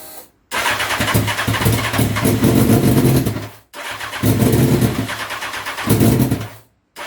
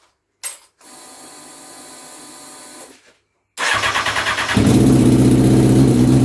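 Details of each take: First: Honda CBR929RR SC44 turbo build at first start, fuel added back in steps from zero: repeated cranking bursts that catch briefly, fire unevenly and die. The engine is flooding; the owner suspects the larger injectors are too big. Flooded engine. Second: Honda CBR929RR SC44 turbo build on its first start, not yet dyno-tuned; the fuel map is decent at tick-over and off boost. Pause, steady cranking pulses, then it catches cleanly into an even, strong idle.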